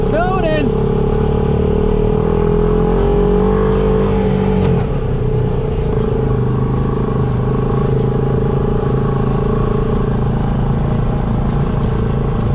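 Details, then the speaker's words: Turbocharged Honda Pioneer 500 on its first test drive, blow-off valve not yet refitted; steady engine drone with faint rising turbo whistle as throttle is held, no flutter or stumble, building boost normally. "well i can hear that turbo get down here into the driveway and we'll give her a little gas see if we get any boost to build"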